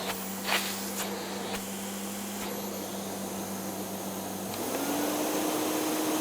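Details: Hoover Sensotronic Total System 50 vacuum cleaner, heavily damaged unit, first power-on test; steady motor hum with a clean tone climbing smoothly in pitch as it spins up; motor runs healthy.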